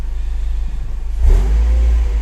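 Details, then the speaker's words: Mercedes CLK after clutch and flywheel replacement for a metallic noise at idle that eased with clutch pressed: smooth rev from steady idle with no metallic rattle or knock, gears shift fine; noise gone, running healthy. "le fait plus de bruit on va essayer forcer un peu sur les rapports non violent elle fait plus de bruit vitesse ça se passe bien ça va donc on est nickel"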